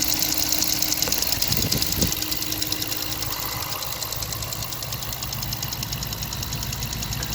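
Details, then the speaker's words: HEMI V8 idling with a fast, even, light tick, suspected as the 'HEMI tick': it is loud fuel injectors, especially cylinder 1, not lifters or cam. The engine is not misfiring and has no knocks. "in this case i believe this is simply the injectors as you can hear it here very clearly classic injectors sound kicking sound"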